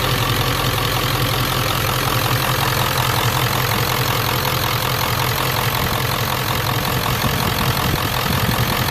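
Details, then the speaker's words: 1994–97 Ford 7.3L Powerstroke diesel with mechanical lift pump, first crank after fuel bowl delete kit fitted and filter primed; steady idle clatter about 160 pulses a minute, no misses; healthy idle. "god I love that mechanical pump [Music] I was incredible first crank"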